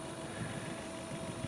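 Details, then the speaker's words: Sanyo M7110K boombox cassette deck rewinding a well-worn tape: steady, even whir at constant pitch with no dragging or squealing; rewind works, belt tension adequate; normal tape rewind. "okay so bear with me sit here and listen to it rewind watch to kind of roll along"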